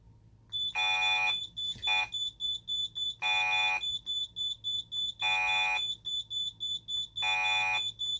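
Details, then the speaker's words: Simplex 3001-9001 panel test, fire panic triggered with keys 1 and 7: shrill high keypad beeps in repeating groups, a long tone then short chirps about every two seconds, the fire panic alarm pattern. "Now let's cover our panics. So, fire panic is 1 and 7."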